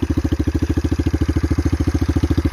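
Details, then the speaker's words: 1981 Kawasaki KL250 single on cold start, aftermarket exhaust, no airbox, carb zip-tied; fast even thumping with audible upper-end clatter. "yeah and then you can hear the upper end noise"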